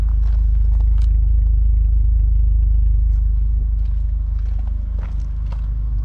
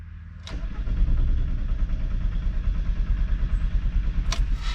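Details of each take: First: Car with new O2 sensors ordered to clear a remaining engine code. A deep, steady, even idle with no misses or knocks, running smooth for now. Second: VW wagon that shut off suddenly without sputtering and would not restart; starter cranks steadily at about three beats a second but the engine never catches.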